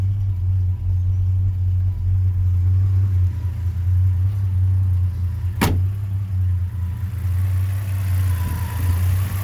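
Low idle rumble that dips and lopes irregularly every couple of seconds instead of holding steady; a rough idle, cause not yet clear.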